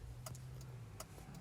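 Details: 2004 Subaru Baja Turbo, 5-speed manual, original engine with about 200,000 miles, just given slight power mods and a tune: low rumble with sharp metallic knocks about three per second, rod knock from a spun rod bearing.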